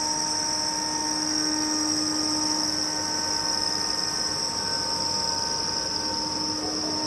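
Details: Kaeser SX 6 Aircenter screw compressor (2009, 5,863 working hours, 270-litre receiver, integrated dryer) starting from 2.3 bar in the receiver. Smooth, constant high whine over a steady hum, no rattles or grinding as pressure builds; healthy running.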